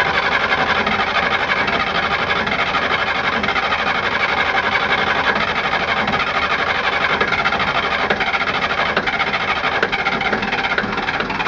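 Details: Westerbeke Four 60 15 HP diesel on a 33 ft Pearson sailboat, ambient about 75°F, hard starting: steady running with a faint busy tapping in the clatter at constant speed; source undetermined.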